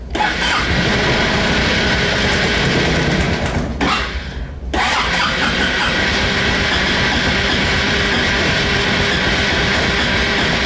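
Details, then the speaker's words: 2004 Honda Reflex scooter cold start at 14°F after two days in sub-freezing weather: the starter grinds on, drops out and retries, the engine catches briefly and dies, then runs into a rough, uneven cold idle. Hard cold start needing extended cranking. "now it's going to require some cranking since it's cold out you don't have to worry about overheating the starter"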